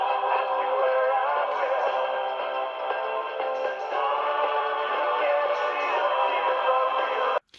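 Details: Zenith 500D transistor radio after repair, distortion traced to mismatched push-pull output transistors: music full and clear with no crackle, buzz or breakup; normal audio playback.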